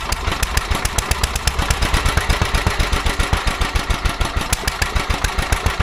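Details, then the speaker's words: Petter A11 (A1 series 2) single-cylinder vintage stationary engine, owned 12-13 years, sat damp in a container for four years; slow, uneven thumping about eight beats a second, stumbling irregularly; rough running, owner suspects fuel starvation from dirt in the carburettor. "Yeah, I think they're going fuel starvation. I think the carburetor's got a little bit of crap"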